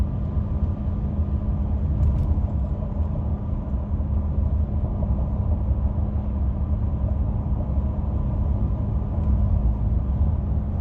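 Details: 2016 Ford F150 5.0 V8, 6-speed, 4WD: steady low hum over heavy road rumble, starting at 60 mph on the accelerator and stopping at 55 mph when coasting off the accelerator; occurs at random times, cause unknown.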